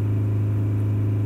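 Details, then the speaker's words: 2006 Toyota Prado 120 diesel, automatic, just under 200,000 km; the client thinks it is noisier than normal. Held steady at 3000 rpm, fuel pressure near its target of about 67 and slightly under: a steady, even hum with no knocks or flutter. Engine normal. "the other test is holding it on 3,000 roof so we'll do that just getting it up there and hold it steady and support the auto really steady"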